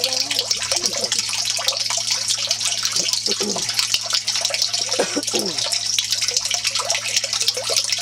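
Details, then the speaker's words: Off-grid aquaponics grow bed (200 gallons of water, 600 pounds of gravel, bed possibly sunk and unlevel) with siphon draining: flow starts slow, then steady rushing and gurgling as siphon breaks; normal drain cycle, fills in 10–15 minutes. "It's starting to run out a little bit. Not really shooting that yet. It always starts slow. Yeah, it always starts slow. And then when the siphon breaks, you hear it gurgling."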